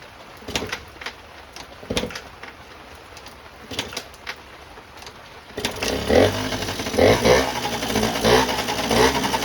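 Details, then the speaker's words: 1989 Yamaha Riva Razz 50cc two-stroke scooter (SH50), off the road since about 2011, at its first start, fed from a small external fuel tank with wet electrics. A few weak puffs, then it catches into a buzzy, uneven idle; it started right up. "Boom, it started right up."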